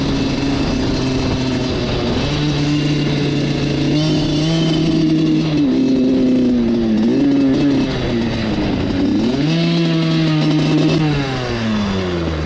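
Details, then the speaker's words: Suzuki RM85 two-stroke dirt bike acting up after wheelie attempts: revs rise and sag unevenly, stumbling and hanging instead of cleaning up on throttle, so it bogs; the owner suspects carb problems, but this is unconfirmed. "What's going on, guys? My bike is definitely acting up right now."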